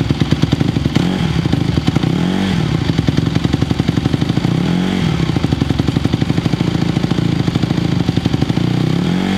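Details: 2020 Honda CRF150R big-wheel single-cylinder four-stroke dirt bike, long sat, started from completely cold on choke; steady idle popping with brief blips picking up cleanly; still a little cold, throttle response better with choke off; normal running.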